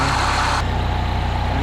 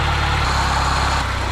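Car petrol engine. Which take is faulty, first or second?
second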